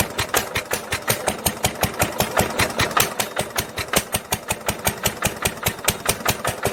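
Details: 1946 International LBBR 3-5 hp hopper-cooled engine from a hay press, running on its old muffler before a glasspack is fitted: sharp, raspy exhaust pops at about 160 a minute; harsh note from a poor muffler.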